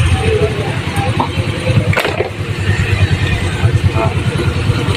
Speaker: सिल देखिए दोस्तों वो साउंड हट गया है वो साउंड हट गया है